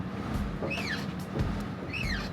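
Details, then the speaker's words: Bowflex Max Trainer elliptical: high, falling squeak with clicking on each stroke, from a dry wheel rubbing its rail; fixed with lubricant. "So, this is the sound that we would hear every time we used our Max Trainer, and it was driving me crazy. It's a great machine that both my wife and I love to use, but the squeaking and clicking was just driving us nuts."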